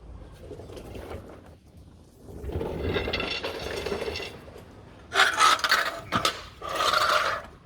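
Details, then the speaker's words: 1989 Toyota Hilux LN106 2.8 diesel, long unused, driveshaft levered by hand with a bar: gritty scrapes and squeaky clunks in short bursts; universal joint has play. "Can hear that, just hear that universal's got some play in it. That'll definitely be making some noise."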